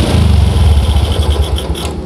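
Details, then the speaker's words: Old Yamaha Jupiter MX running without the automatic fuel tap's vacuum hose, manifold port blocked: starts easier and rumbles along at a steady, even idle with no stumbling or popping; normal idle. "hidupnya juga lebih gampang dan juga enggak pernah teman-teman ya biasa ya suaranya lagi kacang kacang kacang Inke padanya agenda"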